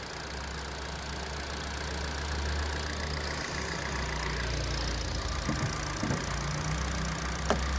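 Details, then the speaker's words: Used Hyundai Verna 1.6 automatic idling after a push-button start, with the AC compressor and fan running. Steady, low engine hum with a few light clicks; an even, healthy idle. "এইটো চাওক, AC-টো চলি আছে, সেইটো কাৰণে compressor চলি আছে, ফেন chain গোটেইখিনি চলি আছে। ইঞ্জিনৰ চাউণ্ডটো শুনক গাইজ।"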